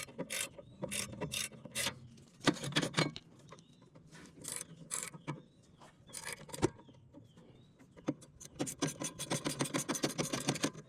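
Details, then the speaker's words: 2008 Nissan Altima passenger rear wheel spun by hand during brake work, rough uneven clicking and grinding from a bad wheel bearing. "Yep. Listen to that. Bad wheel bearing."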